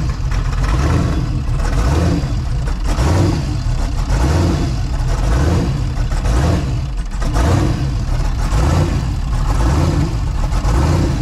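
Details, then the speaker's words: Twin-turbo Mustang with a Holley system, started for a cooling-system test after a vacuum fill with water: a deep idle that surges and sags about once a second like a big cam, though it has none; lopey idle blamed on pinched fuel pump wiring. "it always sounds like it's got a big boy cam in it it definitely doesn't I swear to God I don't know why it's doing that"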